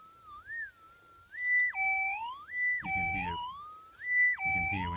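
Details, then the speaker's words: Minelab F1a4 metal detector over a 1.1 gram gold nugget; warbling tone leaps up in pitch and holds flat at the top as the coil passes an inch above, saturating the detector, with signal from about 4 to 5 inches away. Target signal overload. "hear when you go an inch above it, it sort of saturates the detector just flat out, and I would say that's at about 4 inches away, and that's a 1.1 gram nuggets, maybe even 5 inches away."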